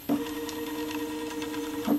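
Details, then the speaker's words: Solsylva 13x13 DIY CNC, router off, axes tuned to run quieter, fast axis jog: smooth, even mid-pitched stepper hum with a clean start and stop, no roughness or skipping; healthy motion. "I've tuned up the accesses and they're running a lot quieter now than they were before so i thought i would show what the cnc sounds like without the router running"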